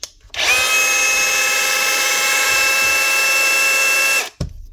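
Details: Dewalt DCH273 cordless SDS drill after chuck repair with used DCH253 parts, free-running test: clean steady high whine start to stop, no grinding or rattle; gears mesh properly, healthy.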